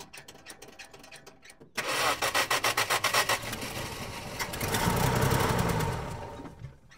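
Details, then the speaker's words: 1970 Dodge Dart, first start attempt, gas poured in, fuel system not yet hooked up: rough uneven cranking, three to four beats a second, briefly catches then dies; starter sounds harsh. "That starter sounds terrible,"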